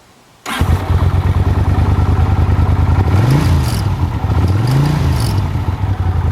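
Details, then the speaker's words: 1983 Honda CX500 Super Sport V-twin, 6,600 miles, ex-museum display, cold start after new spark plugs, cleaned float bowls and digitally synced carburetors; catches instantly, steady even idle, two clean quick revs, healthy. "Between new spark plugs and the carburetor is digitally synced, thing starts like a Honda."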